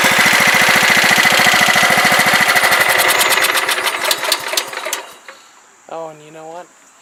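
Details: Long-sitting riding mower single-cylinder engine after carb cleaning and repair of rusty key switch terminals that cut carb solenoid power: even, steady beat about three and a half per second, running cleanly before shutdown; healthy.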